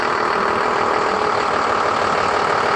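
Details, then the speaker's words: Junkyard trolley with a 12-valve Cummins diesel (P-pump, Allison automatic), long sitting, just fired up: even, steady diesel clatter with no misses or knocks, a healthy normal idle that sounds good. "perfect sounds good too"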